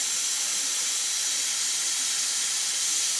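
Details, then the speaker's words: Home-foundry match plate vibrator setup (Steve Chastain vibrators), knee valve built into the back: steady high-pitched hiss of compressed air leaking past the worn valve, which needs rebuilding. "Valve's built into the back. Like I say, it leaks. I can hear it leaking out now, and it leaks on by."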